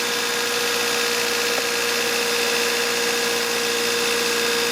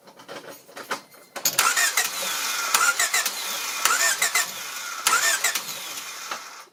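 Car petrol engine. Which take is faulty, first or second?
second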